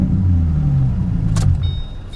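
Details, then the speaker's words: Salvage auction car with V6, automatic, aftermarket muffler (Flowmaster or MagnaFlow type): deep even low rumble easing smoothly, no misses, rattles or knocks; healthy running; blend door clicking noted separately. "It's an automatic, too. It goes right into gear. And that exhaust note is nice. That sounds real good."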